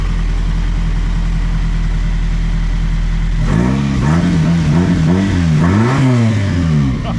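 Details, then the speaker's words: Engine idles smoothly and revs cleanly after repair: the ignition barrel was found faulty and wiring was fixed. This cured the lack of power to the ECM/ECU and fuel pump, whose pump could not be heard running before. "What did we find besides the ignition barrel being stuffed? >> Uh I don't really know. You just did your wiring magic and then now >> listen how good that runs."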